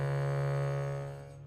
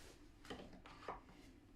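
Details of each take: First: Bhava harmonium recently moved from Chicago to dry Colorado, reeds began buzzing during the humidity change: one key's sustained reed note has a rough, rattling buzz as it fades. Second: Bhava harmonium reed that had started buzzing after the move to dry Colorado, after removal, re-adjustment and refitting: a clean, steady, pure note with no rattle or buzz; normal reed tone.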